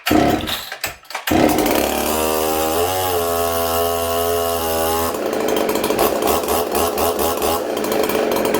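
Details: Ported Husqvarna 266SE chainsaw, possibly flooded first: fires, settles into a steady buzzing idle, then revs cleanly several times with no clutch rattle; normal idle and revving.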